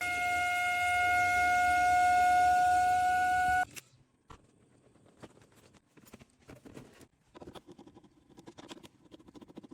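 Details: Ideal Logic gas combi boiler before full strip-down service: loud steady high-pitched whistle, a main reason for the visit, then quiet tapping; boiler whistling.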